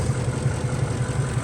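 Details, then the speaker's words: Ford F-150, codes P0356 and P0351, misfire shifting between cylinders 6 and 1, no injector signal seen on 6: low idle with uneven stumbling pulse and occasional heavier thumps, engine shaking; cause suspected, not confirmed. "ahí tenemos la falla ven no estaba sigue temblando el motor ya ya no máss quedó la falla en el uno otra vez Ya volvió tiembla"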